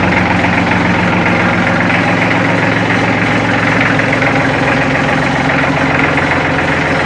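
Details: Warm Kubota L3400 diesel tractor, hard-used and in rough shape, idles steadily with an uneven rattling chatter over the low engine drone; better than the day before, cause not stated.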